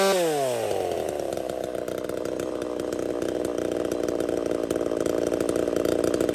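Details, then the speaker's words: Ported chainsaw ("Little Mac") that dislikes running rich; climbs fast into a hard, steady high-pitched scream with barely any four-stroking at the top, then dies; lean running. "It sounds like it's lean, like it will not 4-stroke this saw."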